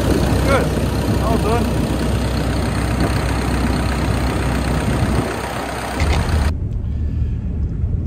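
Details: 140-5 forestry machine diesel after replacing a knocking failed belt tensioner bearing and refitting the belts: even, steady low rumble with no squeal or chirp from the belts; engine healthy and settled after repair.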